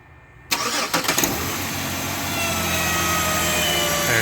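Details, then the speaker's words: 2007 Chevy Equinox starting up: engine catches and settles to idle with a thin high whine from the alternator or adjacent idler bearing; alternator bearing whine. "it is and it's coming from either the alternator or the idler bearing next to it"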